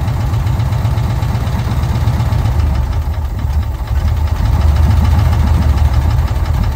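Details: VW Kombi air-cooled engine after a carburettor jet change, idling while the carburettor air mixture is being set: low, slightly lumpy idle, steady and without misses; normal idle.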